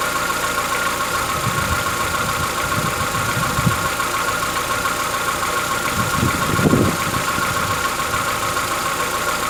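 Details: Chevrolet Onix 1.4 (2014-15), engine started cold on gasoline; irregular light ticking and knocks over steady idle, rising and fading in bursts, lasting about 10 minutes. Present since new, worsening yearly; owner says it is inside the engine, not injectors, suspects lifter (tucho) knock; dealers call it characteristic.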